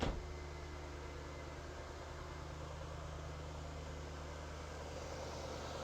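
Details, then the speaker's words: Jaguar X100/X308 V8 (XK8/XKR/XJ8) started after instrumount (airbox rubber damper) replacement: catches at once, smooth even low hum holds steady, no ticks or misses; "sweet as a nut", normal idle. "Sweet as a nut."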